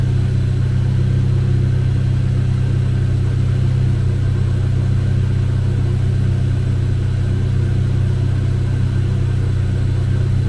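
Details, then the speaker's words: Chevrolet Cobalt SS, supercharged LSJ engine, supercharger reinstalled with old gasket pending rebuild kit, first run after reassembly: smooth, even low drone with no knocks, misses or surging; running well, though owner reports intermittent hard starting and suspects fuel pump. "sounds like she's running good"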